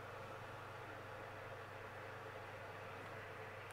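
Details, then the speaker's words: Cooker oven fan motor running at 1239 rpm, its designed speed, with the fan guard removed: a steady, even whir with no rubbing or wobble; normal fan motor circulating air correctly. "1239 rpm that is what the rpm of this motor is designed at this will cause the airflow to circulate within the oven and allow the food to cook correctly"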